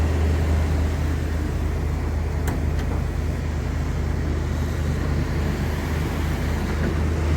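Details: One-owner, all-original 1991 Suburban 1500 with 50,504 original miles, first start on a new battery after sitting: steady, even low rumble, no knocks or misses; good oil pressure, normal smooth idle.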